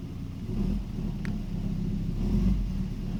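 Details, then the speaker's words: 1993 Volvo 940: the engine had been dying at stops and was hard to restart. After the fuel pump relay was resoldered and refitted, it starts and runs with a deep, even, steady rumble and no stumbling. Normal running. "one way to plug it in the hook done and it runs"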